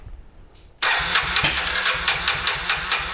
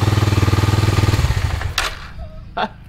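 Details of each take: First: 2000 Kawasaki Super Sherpa 250cc single, sat for years, cranks but won't start; about half a millilitre of gas added directly as a test: slow starter chugs with one sharp backfire pop, never catches; no-start, carburetor suspected stingy/clogged. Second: 2000 Kawasaki Super Sherpa 250cc single, sat in storage for years, first start on choke: even thump about four beats a second for over a second, then fading out; normal running.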